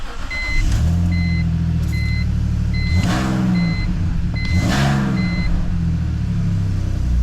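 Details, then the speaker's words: BMW E46 with aftermarket headers too short to reach the mid-pipe, leaking at the joint, worsening over time; raspy puffing that swells with each throttle blip; fixed by welding an extension pipe. "So I said I love how these headers sound, but that was before the exhaust leak got worse and worse. Listen to this."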